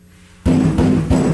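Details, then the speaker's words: 1965 Mustang body on a turbocharged 1996 Honda Civic chassis: three knocks on the bare rear panel before Dynamat give a hollow, lingering drumming ring. After sound deadening the rattle was gone. "that's what it sounds like without Dynamat"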